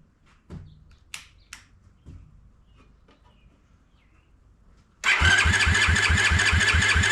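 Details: Honda ATC70 with a Piranha 140cc swap, first start: spun with no spark to circulate oil, a steady electric starter churn at about three and a half turns per second that never fires.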